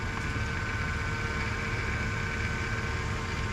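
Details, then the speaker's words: Jeep Wrangler at rough idle with a faint steady high-pitched whine. Power steering fluid was very low and was topped up, no leak seen, but the noise remains. Owner suspects the steering pump, unconfirmed. "all right power steering is better it was a little low on fluid more like a lot of low don't see it leaking anywhere but not positive it still doesn't sound it's still making noises so might need a steering pump not sure"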